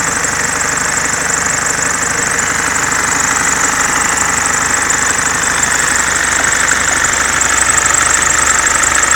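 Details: Mercedes C-Class S202 220D estate diesel at idle: loud steady hiss-and-rattle with a fast, uneven chatter from the accessory belt drive; owner suspects alternator freewheel pulley or belt damper, unconfirmed.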